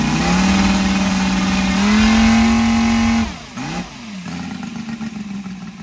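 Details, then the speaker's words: Brand-new Saito FG-73 five-cylinder radial, fully upgraded with Morris Mini Motors hardware and exhaust, on a Biela 20x10 four-blade prop (600–5500 rpm): clean drone climbing smoothly with throttle, holding even pitch, then dropping back to smooth low idle; normal running. "okay as you can see uh engine starts lovely and very easily as well um exhausts really finish it off"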